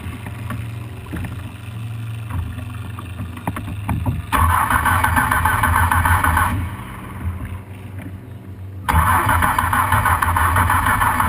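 Starter churns the engine in repeated bursts, about three turns a second, but it never catches and runs on its own.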